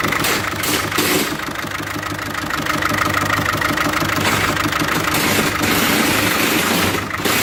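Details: Diesel 1.6 HDi engine with a defective injector: the idle stumbles with an uneven, lumpy beat and rattly knocks, running very badly and smoking. Fixed by replacing the faulty injector.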